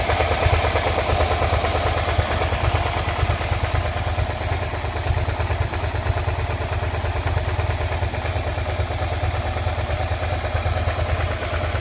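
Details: 2003 Suzuki SV650S (SK3) V-twin idling after being laid up five years; tank treated, new oil, plugs, coolant and battery, started first time; quick loose clatter about three knocks per second over steady idle, engine knocking noise of unknown cause.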